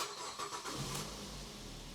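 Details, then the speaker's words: 2008 LT Ford Focus 2.0 Duratec no-start with U1900, after PATS module initialization: engine cranks briefly, catches and settles into a smooth, even idle with no misses or knocks, then accelerates; normal start, fix confirmed. "And it's idling, it's running, it's accelerating. Just what you expect from a Ford Focus."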